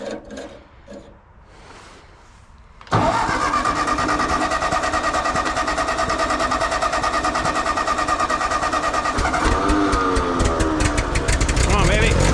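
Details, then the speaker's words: John Deere tractor, cold start with slight choke, owner suspects spark problems; weak cranking for about three seconds then engine catches abruptly and revs, slow reluctant start; later draws huge amps, under 20 psi. "maybe we got sparking problems on this guy too H oh no she gave a fart usually starts better than that"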